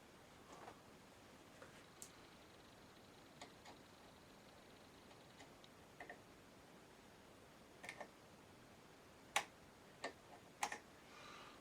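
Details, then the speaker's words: Fidelity Argyll Minor tape recorder deck with a washer added under the turntable for idler clearance: soft light ticks at uneven intervals over very quiet running, from the knurls on top of the idler wheel. "because there's little novels on the top of the idler and that's what you can hear"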